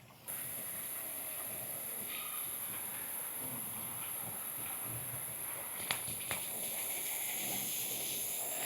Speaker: You can hear it hissing. And when the hissing is finished, we know that the filter casing is full of water.